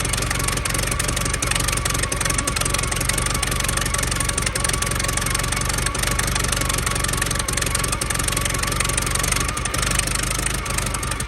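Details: 1914 Buick with 1776.4 original miles, stored about 85 years, on fresh premium fuel, cooling system leaking water: slow, loping idle with steady chuffing firing beats over a low rumble; running evenly and healthy.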